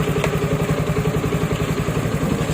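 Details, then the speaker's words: Kymco Xciting S400i scooter, previously hard starting, after fix, charging 14.6 V: even steady idle, regular low pulse about eight beats per second, no knocks or misses; normal idle. "At o na buhay na ulit. Pwede ng makabyahe papa-Regi"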